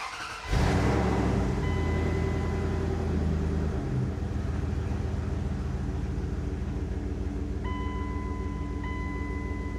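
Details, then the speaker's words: Second-gen Dodge Ram Cummins diesel, towed in with no-start, after replacing the failed in-tank fuel pump assembly: cranks briefly, catches quickly, settles into steady even diesel idle clatter with no stumble. "There you go. Now it runs."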